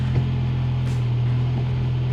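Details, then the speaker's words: 2013 MINI Countryman after new spark plugs and coil packs, check engine light still on from before: steady, even low idle hum with no stumbles or skips; normal idle. "it's idling super smooth right now"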